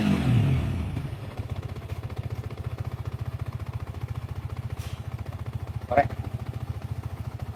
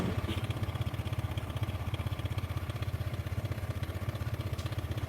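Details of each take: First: Engine after work on the faulty cam chain tensioner (crank balancer first suspected, then ruled out): steady, even idle thump of about 3.5 beats per second; the earlier harsh rattle and click are gone. Road test still pending. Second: Motorcycle at idle with a harsh noise, first suspected internal balancer or crankshaft trouble but ruled out: fast, even clatter about four times a second over the low thump, clacking when stopping; cam chain tensioner rattle.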